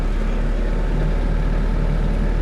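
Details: Mitsubishi 4G92 engine, cold start at 7:00 on a cool rainy morning with temperature gauge at bottom, after repairs for poor acceleration, unstable idle and stumbling: steady even idle, no hunting or surging, holding smoothly.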